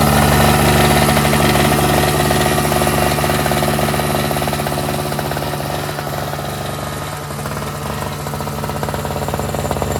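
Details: NOMA 4.5 hp Tecumseh two-stroke 21-inch single-stage snowblower, pull-started after the tar-clogged fuel filter was replaced, on full run: steady, even buzz at one pitch, no misses, knocks or surging. Runs great, normal.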